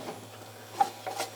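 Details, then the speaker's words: 1956 Chrysler 300 original tube radio powered up: a faint steady hum under light clicks from the vibrator, which steps 12 V DC up to about 240 V through a transformer, working normally. "that humming noise hear that that's a vibrator yeah this is what makes a tube type radio work in a car this bumps up your voltage from DC 12 volts to about 240 volts ac using this Transformer"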